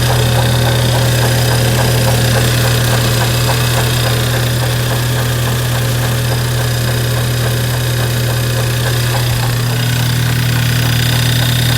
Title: VW Golf 5 GTI 2.0 TFSI BWA - Klopfende Geräusche Zahnriemen? Knocking Sound Timingbelt, Waterpump?